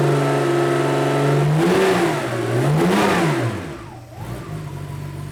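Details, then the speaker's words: 1987 Porsche 911 Carrera 3.2 engine running on a test stand, revved to about 2,000 rpm after crank sensor gap check: smooth even rev falling back cleanly, deep exhaust note; O2 sensor switching rich/lean normally. "that sounds great this is the O2 sensor and it's showing its tracking between rich and lean"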